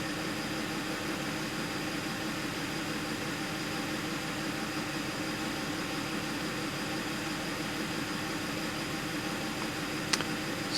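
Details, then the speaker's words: 2010 Audi Q5, about 135k miles, code P0302: petrol engine idling with a dull hum and an uneven skip, cylinder 2 misfire. Owner doubts it is the coil and plans to swap spark plugs next. "it is still skipping big time let's look at our lights on"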